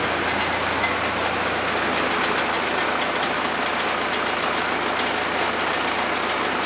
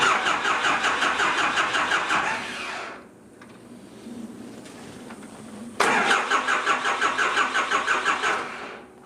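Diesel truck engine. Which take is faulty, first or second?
second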